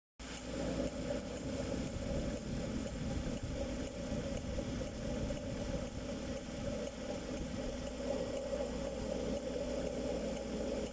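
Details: Land Rover Discovery 3 4.4 V8, cold start after overnight parking at −10°C: loose uneven rattling clatter at idle lasting about two minutes then stopping; not fan viscous coupling, owner suspects timing chain tensioner and guide.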